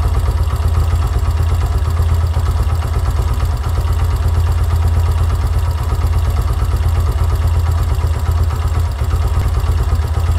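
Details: Yamaha YBR125 CV carburettor with the idle mixture screw turned in to 1.5 turns from a 2.5-turn base. Slow, uneven single-cylinder idle with irregular puffs, barely running and near stalling: idle mixture too lean.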